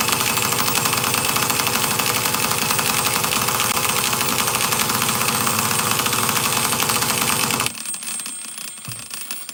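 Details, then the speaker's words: Traxxas Nitro Slash nitro engine, being started with the easy start: a harsh buzz pulsing about four times a second that keeps catching briefly but never runs. Plenty of fuel, so not a fuel issue; owner suspects a poor glow plug (an old OS plug). "Well, we know fuel's not an issue. Damn. Yeah, it keeps trying to pop, but it just won't"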